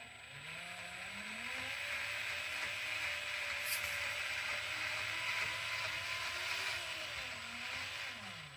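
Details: FMS FCX10 Toyota LC80 RC truck after eight months' hard use, steering dual rate reduced: motor whine rises and falls smoothly with no clicking or popping from the front axle; axle binding eliminated.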